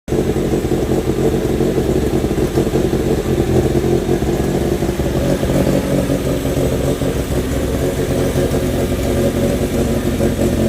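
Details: Renault 16 TX engine starting after rebuild: catches and runs smooth and even, with steady firing, clean revs and no knocks or odd noises; normal, healthy running.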